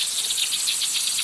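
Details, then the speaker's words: Air pumped into a drained buried pipe behind a leaking exterior wall, under styrofoam and soil, heard through a leak detector: steady, high-pitched hiss with faint flutter and no low rumble from air escaping at the leak. "에아를 집어넣어서 누수음이 있거든요. 소리로 듣는데 그거 이제 누수 탐지기로 찾는 건데요."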